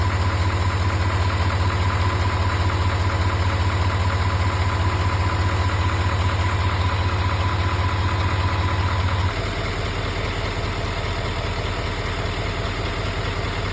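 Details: GM L5P Duramax diesel at idle: steady, even tick about two and a half per second over the clatter; ticking noise, source unknown.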